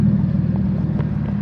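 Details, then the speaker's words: 1993 Nissan 240SX with RB25DET swap, freshly started: idle speed correct but uneven, lumpy low drone with occasional stumbles, misfiring; owner suspects a vacuum leak, not confirmed. Rough idle. "idling where it's supposed to be, but hopefully you guys can hear that. It does not sound like it's running very well at all."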